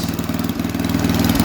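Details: Snapper 8 hp 26-inch snowblower with the auger working and a burning-mice smell, plenty of cooling airflow: a single-cylinder engine chugging at a fast even beat with no knocks or misses; normal running, before an oil change.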